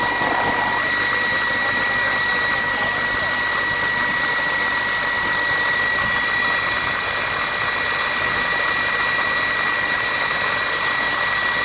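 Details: Atlas Copco GA15 air compressor with a steady high-pitched whine over its even running hum; abnormal sound attributed to a drive belt issue.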